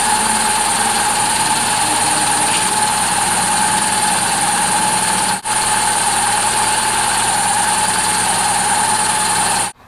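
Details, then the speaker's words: 2005 Hyundai Accent after power steering pump replacement with original pulley swapped over, engine running while steering: smooth pump whir, no squeal or scream; the old pump squealed more the further the wheel turned; now quiet and healthy. "you have it steers wonderful quiet no more screaming"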